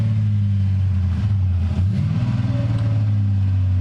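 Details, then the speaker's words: ManiArk car started up with catalytic converters removed, no cat: deep, loud, droning exhaust rumble swelling with each throttle blip, unmuffled; loud exhaust from the missing cats. "engine live data man listen to that no cat"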